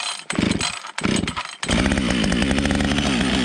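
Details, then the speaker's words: Husqvarna 555 AutoTune chainsaw cold start after three weeks unused in very cold weather: a few pulls on full choke sputter, fires on third or fourth pull, choke off, settles into crisp even two-stroke buzz; healthy start. "about right so you guys can see on the third or fourth pole with choke full choke fires turn the choke off sometimes it idles right from there sometimes it doesn't"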